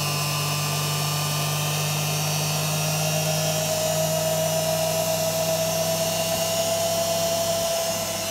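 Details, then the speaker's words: Beko WM5100W washing machine brushed motor after skimming the rough commutator on a lathe, refitted with belt: even, smooth whir climbing slightly as it spins up, no scraping or brush chatter; noticeably quieter. "so it seems a lot quieter to me what do you think is it worth it"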